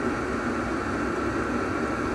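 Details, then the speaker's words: Diesel heater (its display had failed earlier) running steadily after the fuel pump was wrapped: an even rushing hum from fan and burner, no knocks or rattles, noticeably quieter than before; normal running. "My goodness, that's a lot quieter. I just wanted to add that as a bonus."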